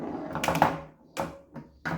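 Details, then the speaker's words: 1976 Gottlieb Sure Shot electromechanical pinball, brought to life after an interlock switch was found: repeated bursts of relay and stepper clatter about a second apart as it resets over and over, never advancing to ball one. "did it advance to ball one it kind of sounds like it's trying to do its thing but I think I'm not sure if I'm not as good with EMS but I feel like it's not advancing to ball one and play or something"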